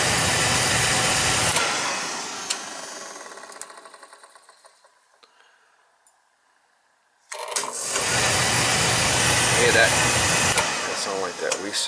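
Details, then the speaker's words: Beckett oil burner on an oil boiler tripping on safety, already cleaned with a new nozzle, filter and transformer. The roar winds down with fading ticks, goes silent, then relights abruptly; delayed ignition is blamed on a bad primary control to be replaced. "place that control here that controls bad change that 45-second that's what we want control and here it hesitating"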